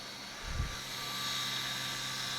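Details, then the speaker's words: Konami M2 arcade board after repair of a badly damaged, rusted unit: a soft thump, then a high, thin whine climbing and holding as the disc drive spins up and tries to read, ending in a hardware error; a faulty chip is suspected. "sounds like the dries doing something trying to read oh hardware error okay well at least it's doing something"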